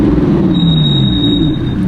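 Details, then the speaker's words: 2017 Audi R8 with carbon ceramic brakes, 55K miles, cruising slowly through a parking lot; a thin steady high-pitched squeal over low road rumble for about a second, a recurring problem: brake squeal. "Oh, it's just such a cringe moment, man. It's like $160,000 car, your brakes sound like they're about to fall apart at the next red light."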